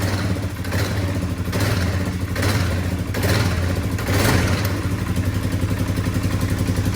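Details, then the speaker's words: Polaris Sportsman 570 at almost 6,000 miles, clutch cover off, engine running out of gear. A low drone with an uneven rattle and scraping rub, as a crooked primary clutch plate grabs and rubs. Fix planned with washers. Finding: CVT primary clutch rattle and rub. "yeah there it is that plate grabbed right there and then rubbing all right so right there's bad"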